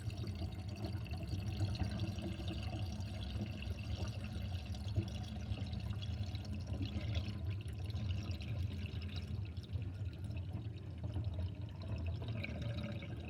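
Water running away with a deep, uneven glugging and bubbling that carries on the whole time, a sink drain gurgling loudly as it empties.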